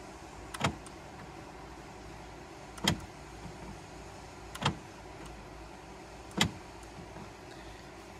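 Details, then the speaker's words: 2010 Honda CR-V power door locks after repair: previously the locks cycled wildly on their own, seemingly from the driver's side, even after another shop supposedly replaced the driver's door actuator; now four crisp single lock clunks about two seconds apart, no buzzing or repeat cycling, working normally. "and before I would turn the key on and the door locks would go crazy notice how they're not going crazy anymore"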